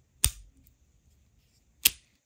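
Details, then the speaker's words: Old Shimano Bantam fishing reel after service with the frame cleaned, shaft oiled and clutch ramps greased: two crisp metallic pops about 1.5 s apart with no grinding as the clutch engages normally. "Can you hear how it pops? You can even hear some kind of metallic sound because once you grease the clutch on any reel, I promise you, if the reel is old and you grease the ramps on the clutch, the clutch becomes so enjoyable."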